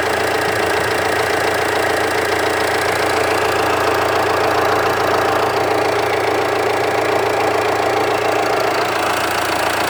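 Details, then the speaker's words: Jeep Compass diesel with 30,000 km, heard at low idle near the front of the engine: an even, rapid light tick-clatter with no misses or heavy knocks; normal diesel idle clatter. "E é normal ficar esse barulhinho de tchoc. O diesel tem pouca rotação no painel, o motor trabalha em baixa rotação, isso é normal."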